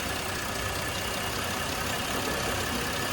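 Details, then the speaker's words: Buick 3.9L V6 with propane fed into the system to over-enrich the mixture: an uneven, stumbling idle with a ragged hiss. With too much propane the engine eventually stalls. "right now we're going to test to see if the vehicle will die if there's too much propane done and put into the system you can hear the rough idle takes a little bit of time but"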